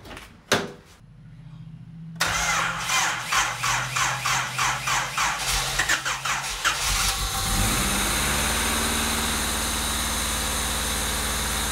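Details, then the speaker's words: Honda Civic EK with swapped D16A, start after new oil pan and pickup: starter cranks in quick even pulses, engine catches and idles evenly, then shuts off; idle speed screw found fully closed, O2 sensors later found swapped. "Okay, just shut off for no reason. All right, so I adjusted the idle speed. That was, the screw was all the way closed, so Hopefully that will help."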